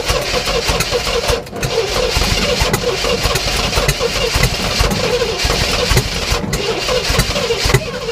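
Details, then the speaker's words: 1967 Oldsmobile Toronado project after new spark plugs and wires, fuel down the carb, throttle pumped: cranking with repeated ragged catches that fade, never settling into idle; won't run on its own, mouse nests suspected. "just cannot do it on its own"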